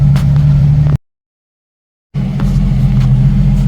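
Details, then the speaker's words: 1990 Jeep YJ 4.2L 5-speed, carburetor problems, after new fuel pump failed, warming up: even low idle rumble near 900-1000 rpm, no miss or stumble; idling smoothly, normal idle. "temperature's coming up it is running nice and smooth um no miss or anything like I've been having so that's a plus"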